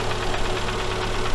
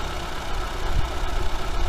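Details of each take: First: Daewoo Sens back after engine overhaul, running about three minutes: light steady tapping over an even idle, located by stethoscope near cylinders 3 and 4; connecting rod small-end bushing knock. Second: Двигатель после капремонта, гарантийный возврат из-за стука (втулка шатуна), прогревается, ещё не до рабочей температуры: smooth quiet even idle, low hum, no knocking or ticking; runs quietly without extraneous noise.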